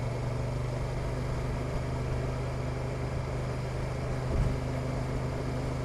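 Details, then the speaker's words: Honda NT1100 DCT below 30 mph while entering a small roundabout: steady low twin drone then one distinct clunk with brief surge; harsh low-speed DCT gear change. "the feeling is very good and trickling along in traffic is dead easy but again you'll hear that sub 30 mile per hour clunky gear change"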